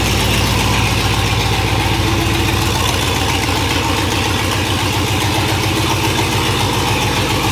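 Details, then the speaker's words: Monster truck school bus V8 that sat all winter, run with no exhaust or mufflers fitted: raw, very loud, fast throbbing idle with crackly edge, every pulse blasting straight out; owner now looking at muffler options. "yeah so as you could tell she was nice and loud so now we're looking at options for the Mufflers"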